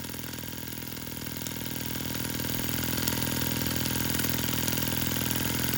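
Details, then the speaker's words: Sterlingkit model steam engine and boiler kit, run after tightening screws where water was seeping: even, steady chuffing at about three and a half beats a second, level gradually rising; running really nicely. "This thing is running really nicely and everything seemed to be going perfectly."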